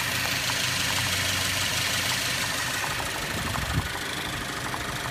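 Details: 2013 Cadillac ATS 2.0L, 6-speed manual, no codes: uneven rough idle with a light knock about three times a second, heard with hood open; shakes at idle and has stalled several times, cause not pinned down.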